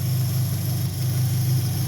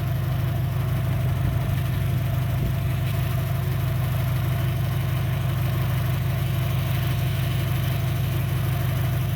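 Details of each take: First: 2003 Dodge Neon 2.0 with rebuilt head after a timing-belt break, idling after swapping back to the original coil to cure rough running and misfires: steady, even low hum, no stumble or miss. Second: 2003 Dodge Neon 2.0 after timing belt job and rebuilt head, compression 190 psi on all cylinders, new plugs, no vacuum leak: deep, lumpy idle with a heavy beat about three times a second, then the engine cuts off. Two cylinders dead; coil suspected.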